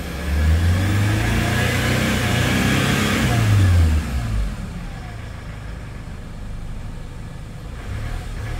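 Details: Hyundai Starex diesel van with a no-start problem: it starts, revs briefly, then drops to a steady, even idle with no stumbling or hunting. Runs normally.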